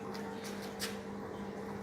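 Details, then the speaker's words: Samsung top-load automatic washing machine after fixing a 5E error (no drain, no spin), restarted on spin: water drains, then an even, steady motor hum as the drum spins, no knocking or grinding; error cleared, running properly. "ये चल गई है। ये कैमरे से अगर आप नज़र आ सके, ये देखें अंदर स्पिन कर रही है और ये चल गई है, और इसका 5E का एरर ख़त्म हो गया है।"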